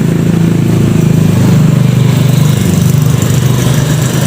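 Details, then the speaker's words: Yamaha Mio GT scooter that once ran out of oil, compression still very tight, very smoky; extremely harsh, uneven low chugging with a loose rough beat, worn cylinder and piston rings, to be disassembled and the block replaced. "suaranya luar biasa kasar dan sekarang kondisinya tidak hidup tidak menyala karena pernah kehabisan oli"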